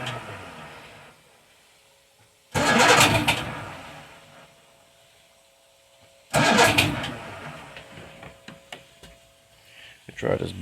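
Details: 1978 Evinrude 150 outboard on a 23 ft boat, cold start with choke and then a little throttle: two cranking bursts a few seconds apart that die away without catching; hard cold start.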